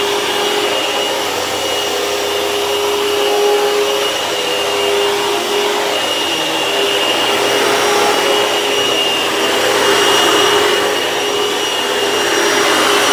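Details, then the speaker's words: Vacuum cleaner running after its belt was replaced with the correct style: smooth, steady high motor whir with even airflow rush, no slapping or squeal; sounds much better with the new belt. "can see that the belt sounds, that this vacuum sounds a lot better because of the belt."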